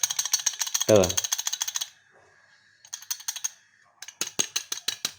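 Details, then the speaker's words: Honda Beat FI eSP eco CVT clutch plate removed and rocked by hand: loose, bright metallic jingling in quick bursts because the plate's mounting holes are worn loose; cause of CVT jingling noise, plate to be replaced with new. "kalau kita goyangkan pakai tangan tuh bunyi teman-teman karena platnya ini lubang-lubangnya sudah longgar jadi menyebabkan goyang Goblak gitu teman-teman"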